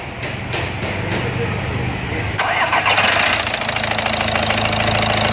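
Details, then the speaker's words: Volkswagen Vento 1.6 TDI, cold start after standing overnight, wiring loom replaced: a few quick starter turns, catches at once and settles into a steady, even idle with no stumble; normal cold start. "देख सकते cold start है, अभी सुबह से start नहीं थी गाड़ी, cold start में भी एकदम परफेक्ट है।"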